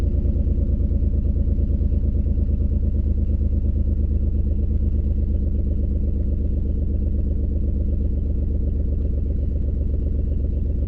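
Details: 2003 Ford Escape, uneven lumpy idle with a slight shake and a loud exhaust leak, no flashing check engine light; onboard monitor shows cylinder 4 misfiring, constant misfire suspected from a bad ignition coil.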